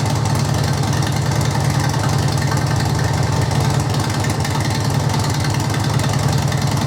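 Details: 2005 Harley-Davidson Electra Glide 88ci V-twin, about 2500 miles since rebuild, idling in neutral after oil service: steady, even loping idle with deep regular thump, no knocks or rattles; normal, healthy.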